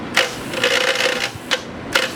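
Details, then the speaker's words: P502 air-cooled TIG welder, previously sort of fixed: short irregular bursts of loud buzzing, rattling chatter that stops when high frequency is switched to start only; better than before, when it was constant. "That's the loud rattling sound. That's the really loud rattling sound there. See, it stopped as I changed the high frequency to just start."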